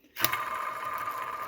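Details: 2004 Ford F-150 5.4L, about 19 years old, whining that rises with engine revs: removed pulley spun by hand gives a click then a thin, steady, dry ringing; worn idler pulley bearing.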